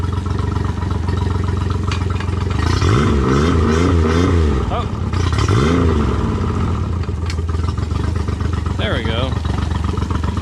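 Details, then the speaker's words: Three-cylinder four-stroke outboard, fresh oil, filter, three new plugs: lumpy uneven beat on throttle blips, running on two cylinders; top plug rusty and wet with water, head likely must come off; misfire. "i could tell the motor is not running on three cylinders right now sounds like it's running on two"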